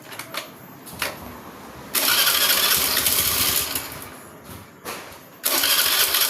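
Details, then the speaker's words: Honda Beat FI scooter pushed into the shop: on starting it coughs, catches briefly, fades and dies, then catches again, starting and dying repeatedly; hard starting caused by low fuel pump pressure. "teman-teman, ceritanya saya mendapatkan keluhan permasalahan motor Honda Beat FI dengan kendala ketika dihidupkan blep blep blep blep blep seperti itu, hidup mati."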